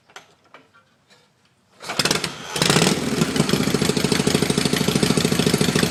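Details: Old kick-only Shovelhead, magneto-fired with no battery, morning start: a few soft kick thumps, catches after a pause and settles into an uneven, lumpy idle; hard starting.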